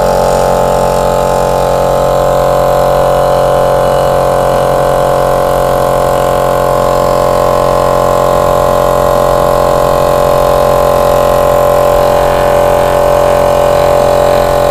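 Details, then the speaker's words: 25 L air compressor after its head was cleaned, reset and refitted, test run filling the tank: steady even pumping drone and constant hum without knocks or rattles; pressure switch cuts off correctly at set pressure, normal running. "ഇപ്പൊ നിങ്ങൾ ശ്രദ്ധിച്ചു കാണുമല്ലോ ആ കൃത്യമായിട്ടും ഒരു 100 ബാറിൽ എത്തിയപ്പോഴത്തേക്കും output വന്നപ്പോഴത്തേക്കും കൃത്യമായിട്ടും അത് ഓഫ് ആയി"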